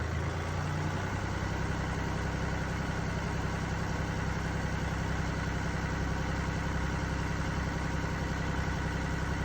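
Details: Mini Cooper D three-cylinder diesel at idle: loose, uneven rattle over the low diesel drone from a broken dual mass flywheel, which holds the clutch springs and fails through wear and tear; described symptoms are juddering after lifting the clutch and hissing.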